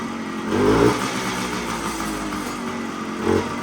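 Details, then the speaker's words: 1975 Suzuki TS125 Duster two-stroke, previously breaking up past half throttle, warmed up after air screw turned in: pops along evenly at idle with quick throttle blips, no missing or stumbling; running healthy. "had to do a little tuning on the uh air screw I to turn in a little bit and just have to turn in the air screw a little bit to get it to run better so it's running pretty good right now"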